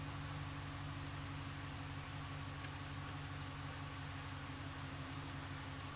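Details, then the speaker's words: 1997 Eclipse GSX with 95/96 ECU, cam sensor flipped 180: faint, steady starter cranking that never catches; crank no start, suspected timing or cam angle sensor issue. "I'm getting there so now I definitely think it's a timing issue and I got to figure out the camera angle sensor"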